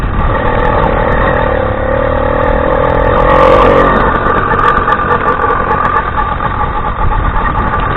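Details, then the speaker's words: Newly assembled 80cc two-stroke bicycle engine kit on first ride: buzzing under load, then sudden rattling clatter as the chain jumps the sprocket teeth; chain skipping. "this i don't know if you guys can hear the feeling i was talking about that's the chain jumping the gear so i'm not gonna go too fast just take it back home"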